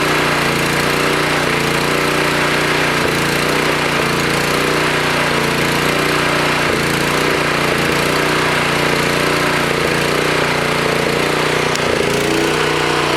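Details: Toro Power Clear 621E snowblower, 163cc OHV four-stroke single, on external tank, choke on: speed rises and falls every few seconds; surging idle, likely faulty carburetor, probably another new carb needed.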